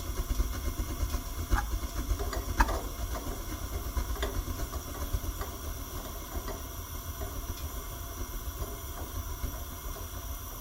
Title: EFM gas coversion furnace noise